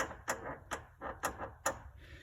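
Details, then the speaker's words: 2008 Lamborghini Gallardo Spider, about 18,000 miles, front control arm moved by hand: sharp dry stick-slip creaks about twice a second; worn front control arm bushing, replaced with Ferrari F430 bushings. "now let me show you the creek it's it's really easy to move the control arm now so you can just there's the sound and you can i mean even feeling it you know it'll stick and"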